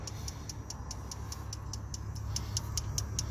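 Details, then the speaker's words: 2006 Dodge Ram 3500 5.9L diesel, crank/no start with no ECM communication after new batteries and security issues: light clicking two to three times a second over a low hum as relays click; harness, pin or board fault suspected. "Here we go fast. I heard relays click. I heard some stuff change."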